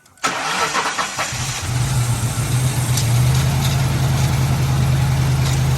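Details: 1997 Lincoln Town Car Signature that sat 2 years after timing chain failure: quick start into busy idle with fast, uneven metallic chatter from the engine front; owner unsure if timing chain or tensioner, supposedly replaced; dies off with throttle.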